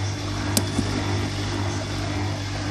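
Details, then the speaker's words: Bosch washing machine draining after third spin of rinse stage: steady low hum with faint chugging as water pumps out; drain pump running normally. "the pump. That's the pump making that noise."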